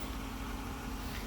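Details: 2014 Jeep Grand Cherokee 5.7 Hemi after no-crank traced to starter wire connector (owner believes rusted from humidity): steady low V8 idle, even unbroken beat, no stumbles or knocks; normal idle.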